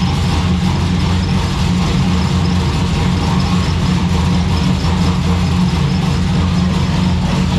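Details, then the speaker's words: Ecotec V6 turbo drift car with a T76 turbo, idling: a deep, steady idle with a loose, buzzy rattle from a loose part in the exhaust. The rattle went away when the electric cutout was switched, pointing to the Y-pipe or rear exhaust. Exhaust rattle. "it sounds very rattly because there's um the exhaust somewhere is there's like a roost part somewhere so it's just rattling its head off"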